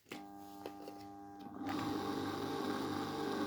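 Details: Brait NPD-900D submersible pump motor hums but does not rotate, then after about a second and a half catches and runs rough; winding break and overheating suspected, water condensation found inside. Motor hums but does not start.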